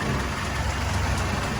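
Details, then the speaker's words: Willys CJ2A flathead (about 55 hp) after restoration, new fuel pump, idle mixture screw two turns out, smoking from oil in cylinders: steady even low idle rumble, slight diesel-like clatter, no misses; runs healthy. "there you go she's running she's she sounds nice she sounds like a jeep should"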